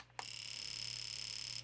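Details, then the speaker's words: Known-good fuel injector pulsed by a working injector tester in pulse mode on the bench. Crisp, rapid clicking at about twenty per second merges into a buzz for over a second as the injector opens and closes normally. "You can hear that fuel injector. That's what it's supposed to do. And that's that's the purpose of this little tester."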